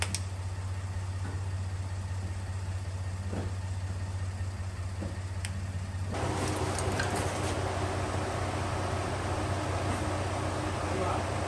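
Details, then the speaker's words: 1957 Chevrolet Bel Air, first start after 19 years sitting, fed fuel directly because the fuel pump is suspected bad: a steady, even idle rumble with no knocks or misses, then a fuller, louder run. "that engine sounds good sounds really freaking good"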